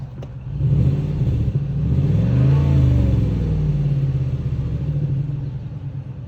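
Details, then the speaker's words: 2001 Cadillac DeVille after EGR valve replacement for code P1404: low, even idle holding one speed, no longer hunting up and down; runs much quieter and settled. "we'll double check that actually runs much quieter I don't hear those RPMs going up and down"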